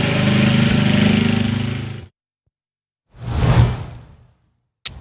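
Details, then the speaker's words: Craftsman riding mower with Tecumseh engine leaking oil from a seal, after clearing oil out of the cylinder and cleaning the plug; steady, even drone with no misfires or surging; runs well but uses a lot of fuel. "she's running real good but it uses a lot of fuel"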